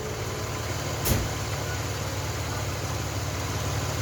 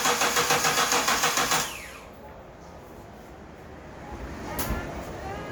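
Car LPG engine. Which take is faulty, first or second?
second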